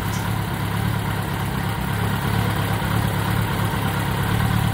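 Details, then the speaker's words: 1983 Kawasaki Spectre 1100 after carb rebuild, new inline fuel filter and carb sync: steady, even four-cylinder burble a little under 1000 rpm with no misses or hunting; healthy smooth idle. "we got a nice steady idle out of it. What are we idling at? A little under 1,000."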